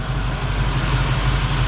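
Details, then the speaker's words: 1951 Chevy pickup V8 idling after new injectors and Denso O2 sensors, with stock Silverado muffler making it very quiet and fuel pump audible: deep even burble, steady low pulse, no misses or stumbles; idling smoothly. "i do have the stock muffler off of like a chevy silverado so it's super super quiet but you can hear that fuel pump sucking"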